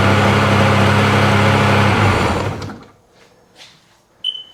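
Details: Steady two-stroke drone for about two seconds before it shuts down on a 2005 Sea-Doo 3D 787 RFI that had sunk; it now runs after a wiggle test disturbed a suspected bad connection, a reading jumping from 3 to 6 (should be 14).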